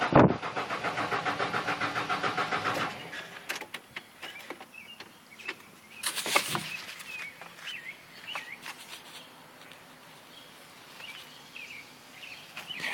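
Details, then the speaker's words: Truck's first start attempt in 2 years after new gas was just added: the starter cranks in an even, quick rhythm for about three seconds but the engine never catches. Owner suspects not enough gas. "Dang it, doesn't have enough gas."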